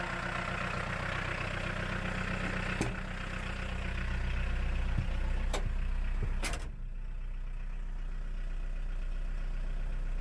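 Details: 1.6L VW diesel swapped into a Chevy S10 pickup, coolant max 168°F with fan on radiator, rear axle jacked up: even steady idle, low rumble, no knocks while raised rear wheels turn; normal idle.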